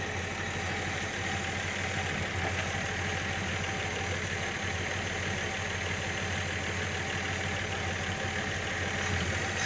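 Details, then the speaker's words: Engine first run after head gasket, reconditioned head, water pump and hoses replaced, earlier rough with fuel-fouled oil: quiet, steady idle with smooth even hum, no knocks or rattles; running normally. "all right i don't know why it's squatting yeah have a look at it but yeah it's all right it's running yeah it's running nothing sounds terrible"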